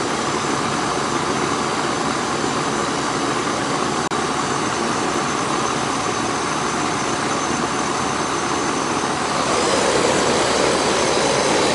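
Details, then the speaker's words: Central air conditioner outdoor unit after a leaking Schrader valve core was fixed and about 5 lb of refrigerant added: even rushing fan noise over a steady compressor hum, with no clicks, rattles or surging; running normally. "it's back up and running y'all back up and running all right that one's up and running should be able to turn these other four back on"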